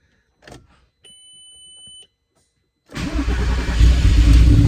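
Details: VW R32 that sat outside a long time, first startup: brief chime, then the engine catches and settles into a steady, even idle with a deep low rumble; no fuel leaks.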